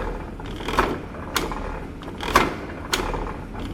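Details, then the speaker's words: Slotter machine ram cutting on the forward stroke and idling on the return. Slow, somewhat uneven knocks roughly every second and a half, quieter returns between cuts; running normally. "और आपका material जो है forward direction में cut करेगा, return direction idol होता है, कोई working नहीं होता है रिटर्न में, जैसा कि आप देख सकते हो।"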